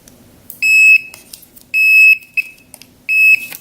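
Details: Fluke Volt Alert non-contact tester moved along a string of non-working Christmas lights with a bad bulb: three sharp high-pitched beeps about a second apart, showing voltage present at those bulbs.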